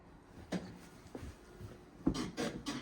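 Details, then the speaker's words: Ford Focus that failed on discs and pads: dull hollow thumps each time the rear is pushed down, from a worn driver-side rear shock absorber that needs changing. "Yep, driver side, so you can hear it. So we've got to change that shock."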